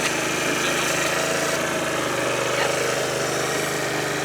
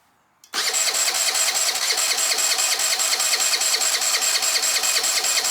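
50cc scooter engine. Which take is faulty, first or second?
second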